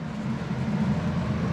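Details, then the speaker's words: A.O. Smith hybrid heat pump water heater with dual elements, running in a garage with the tank water at 140: steady low hum with even fan whoosh, a slight struggle as the compressor kicks on; normal fan and compressor operation. "all the noise comes from the fan and the pump so you can see the fan there it does have a little bit of a battle uh as the compressor kicks on"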